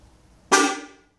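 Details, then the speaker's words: 1998 Kadett horn after reconnecting a loose connector: brief, louder blast but still thin, off-pitch and not the original sound; each of the two horns has its own connector, and one horn is dead. "Ficou mais forte, não é? Em comparação com o que tava, mas ficou meio um som diferente ainda, não tá um som original do carro."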